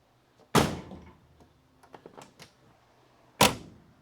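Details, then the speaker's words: 1969 Dodge Coronet 500 sedan during restoration: door closes with two single solid clunks and no rattle, only the latch hitting the striker, showing the door hangs straight and the body is not sagging; normal latch. "That dink satisfying clunk. That's the sound of the latch hitting the striker. And only the latch hitting the striker."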